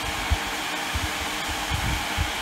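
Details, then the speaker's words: Dyson hot and cool fan after swapping in a donor circuit board, running on cold with oscillation: steady even airflow whoosh, no rattles, scraping or speed hunting; normal operation. "Right, so it's working on cold. I'll just check the oscillation works. Yeah, that seems good."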